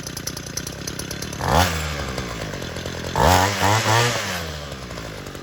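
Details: 12-year-old Homelite UT32650 two-stroke string trimmer after HIPA carburetor replacement (Walbro-style): idles steadily, revs cleanly twice and settles back to an even idle, no stumble or hesitation; normal running.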